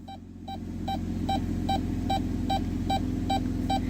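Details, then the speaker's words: 2016 Dodge Grand Caravan in reverse at low idle after the service park assist fault was repaired: even quick beeps about 2.5 per second, rear sensors detecting properly, no code returning; normal park assist beeping. "what do you know we fixed it there we go so you can see the code never came back the system works"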